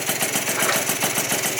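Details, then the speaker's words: Yamaha Zuma scooter, first fire-up of the freshly built engine after a faulty CDI (internal ground fault) was replaced: crisp, quick two-stroke popping holding a steady idle with no misses while warming up; normal idle. "First fire up ever on this engine. Oh, this thing feels good. Let's let it get warm now."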